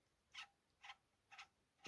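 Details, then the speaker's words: AKAI CS-F11 cassette deck after replacing main capstan and counter belts; the tape counter works but emits a thin chirping squeak about twice a second in an otherwise quiet deck. "okay i've got the belt on on both ends and the counter works but unfortunately makes this"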